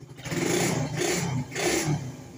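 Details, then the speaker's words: Suzuki Satria FU 150 after setting valve clearance to factory spec (0.10–0.15 mm and 0.20–0.25 mm): three quick throttle blips rising and falling smoothly with a clean, even note and no ticking; valvetrain healthy. "tes suaranya Uh mantap ini udah paling fix ini menurut bangro ini setelan klep ini udah standar pabrik ini"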